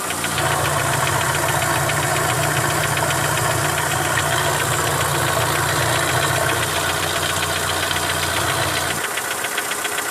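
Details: Mitsubishi Lancer 9 1.6 engine knock: steady fast metallic knocking near four per second over idle; owner suspects middle hydraulic lifters, services suggested much up to engine replacement; unconfirmed.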